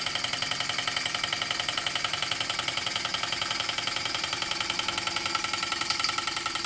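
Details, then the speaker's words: Model steam/hit-and-miss engine driving a homemade Baker fan as a working load: quick, steady beat with a light, bright clatter holding its pace against the fan; normal running under load. "oh I can hear this in curing and working against that that sounds really impressive"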